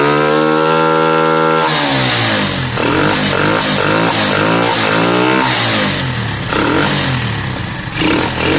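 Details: Lexmoto Valiant motorcycle after an EFI-to-carburettor conversion, on the stand; the engine catches and revs climb and fall in quick blips, crisp and even, peaking higher than before. Valve issues are also noted.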